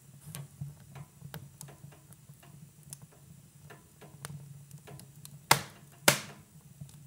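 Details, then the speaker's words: Cast-iron wood stove heating up after logs are added: irregular light ticks and creaks about two a second plus two louder log clunks, caused by the metal expanding with heat; normal, nothing wrong. "parfois on entend ce grincement ce grincement provient du poil qui est en métal et avec la chaleur et quelques effets de dilatation qui se produisent même si c'est de la fonte et donc c'est un bruit qui simplement tout va bien"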